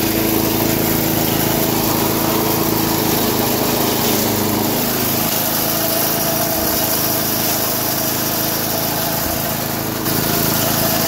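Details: 1991 all-steel MTD 8hp chipper/shredder, a dump find with a Tecumseh HM80 cast-iron-sleeve engine, running after a new wheel and carb adjustment. Steady high buzz while chewing material, barely dipping under load; running strong and healthy.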